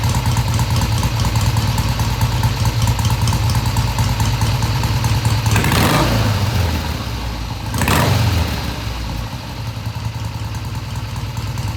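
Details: 1971 Triumph T120 650cc twin after carb adjustment of about an eighth turn: steady low-beat idle, two clean blips and back down without stumbling, no hesitation off idle, revs through mid-range; normal idle and revving.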